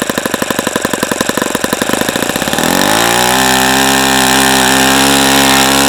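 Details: ASP FS65 glow engine on test stand, 29°F cold day, 5% nitro, OS F plug, APC 12x6 prop, started with much lighter fluid; slow even popping settles into steady high buzz holding pitch; running cleanly.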